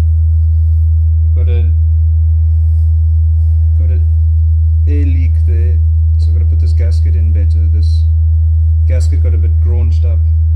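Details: JBL Charge 2 Plus reassembled after fixing something that tapped the back of the diaphragm on large excursions; a clean, steady low test tone with no buzz or rattle; normal speaker output.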